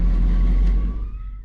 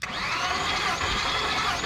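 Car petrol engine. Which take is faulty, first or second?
second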